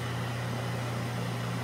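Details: ILG Model 123 XQ explosion-proof fan motor after a rebuild with cleaning, new winding varnish, new bearings and a spring washer: a smooth, even low hum with no knocking. The centrifugal switch still rubs its contacts slightly, but less than before; normal run.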